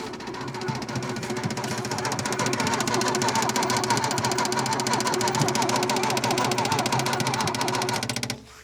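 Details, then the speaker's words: 1967 Opel Rekord 2DHT Coupe, unused for years, electric fuel pump added: slow steady cranking about three turns a second for eight seconds without catching; owner says the starter is poor, doesn't always crank, should open it. "Ce démarreur est vraiment pourri, il ne démarre pas à tous les coups. Je devrais l'ouvrir."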